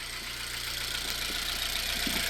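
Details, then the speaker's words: Engine after misfire diagnosis, with the spark plugs tightened and the coil reinstalled, check light still on: a steady, even idle with a smooth low pulse and constant hiss, no stumble or missing beat; it now runs smoothly. "and if you can look the vehicle is shuttling smooth and we are not hearing any sound whatsoever"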